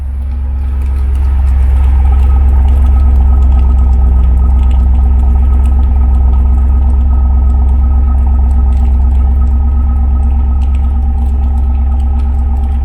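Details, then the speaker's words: Ford 7.3 V8 in a base single-cab 4x4 truck, bone stock with capped exhaust, not a cold start, heard from the rear: deep, even, low idle in the 600s rpm with no ticks or knocks; healthy. "Got a real low idle on it in the 600s."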